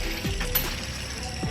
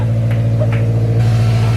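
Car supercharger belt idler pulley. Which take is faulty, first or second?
first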